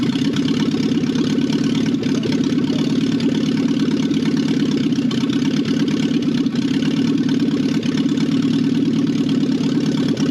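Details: 1968 BMW 1800 barn find four-cylinder: steady even idle with soft regular pulse, no knocks or misses; old gummy gas found in the tank.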